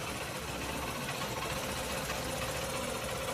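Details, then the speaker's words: Old-model Honda Shine after replacing the whole engine (old one had bad crank, bearing and connecting rod knocking): starts on first press, fast light even idle with no knock; normal idle. "9700 CV 9 Honda पूरा engine इसका fit कर दिया। अभी आप इसकी आवाज सुने। यह गाड़ी एक सेल में स्टार्ट हो गई।"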